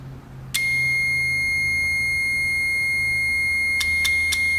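A steady high-pitched tone switches on and holds with a few clicks; there is continuity through the closed contacts, so the relay is good.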